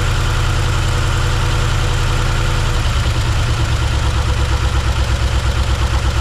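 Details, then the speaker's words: 1971 Chevrolet C10 V8 after first start: lumpy, uneven idle with heavy irregular low throb; lifters suspected unset. "we got it running but it's not running well"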